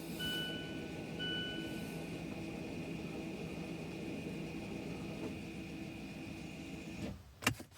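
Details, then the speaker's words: 2017 Mazda 3 entering brake maintenance mode (ignition on, accelerator floored, park brake button pressed three times): two chimes, then a steady motor drone ending in sharp clunks as the rear electric parking brakes retract. "Hold down the park brake button 3 times here. You can hear the brakes retracting."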